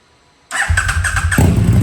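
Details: KTM RC8R with swapped 2020+ 3rd-gen 1290 Super Duke engine, first start after safety-wiring leaking joints: brief starter whir, catches in half a second into steady even low idle, no misses; healthy.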